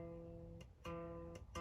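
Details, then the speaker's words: Fender Squier Affinity guitar setup with new strings, low E tuned: open E plucked, then the 12th-fret note rings slightly sharp; intonation off, saddle needs adjusting until open and 12th-fret notes match. "you can see now that it's not the same note it's higher so there's the e open that is the e at the 12th fret"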